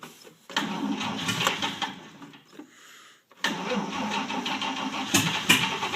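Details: 1949 Chevrolet Deluxe 4-door, first start of a replacement engine swapped in for the original locked-up one, running with no exhaust fitted: starter cranks, a few weak putts, a pause, then it fires and settles into a steady, healthy run.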